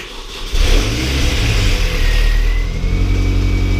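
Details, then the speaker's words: R53 Mini Cooper S after supercharger replacement, first 5-second start without radiator: engine catches to steady idle with brief light rattle from dry timing chain tensioner filling with oil; dry water pump also rattled slightly. "That'll just be the belt tensioner, sorry, the chain tensioner rattling then. Yeah, okay, good. It's just the chain tensioner had no oil in it there, obviously."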